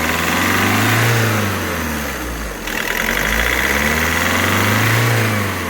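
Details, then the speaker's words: VW Vento turbo diesel with injector knocking, during injector knock-reset procedure (code 27971) at idle: light rapid tick-tick under the engine note with gentle rpm rises and falls; ticking is expected to disappear once the process finishes. "ਜਿਹੜੀ ਹਲਕੀ ਜਿਹੀ ਆਵਾਜ ਤੁਸੀਂ ਸੁਣਦੇ ਹੋ ਵਿਚੋ ਆ ਰਹੀ ਟਿਕ ਟਿਕ ਦੀ ਇੰਜਨ ਦੀ ਜਿਹੜੀ ਨਕਿੰਗ ਖਤਮ ਹੋ ਜਾਣੀ"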